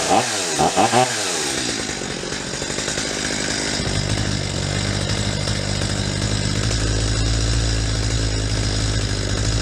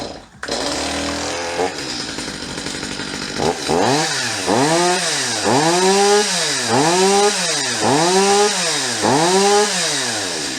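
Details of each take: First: Stihl MS250 chainsaw after carburetor cleaning, adjusting low mixture screw: screams high, then revs sag and stutter as it goes too lean past peak; backed to peak then about half to three-quarter turn richer. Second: Stihl MS250 chainsaw after carburetor removal, cleaning and adjustment; starts quickly then revs cleanly up and down about once a second, climbing crisply without bogging or stumbling; runs much better than before.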